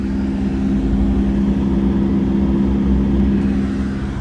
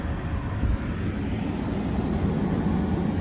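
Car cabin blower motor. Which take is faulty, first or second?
first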